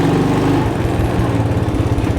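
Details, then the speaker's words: Cold start of a 1985 Honda ATC200M three-wheeler revived after years of sitting, with a rebuilt carburetor, new battery and fresh oil: single-cylinder thumping responds well to throttle and pulls cleanly as it rides off, no misses or knocks. "I guess it runs. Responds to the throttle real good. And it moves."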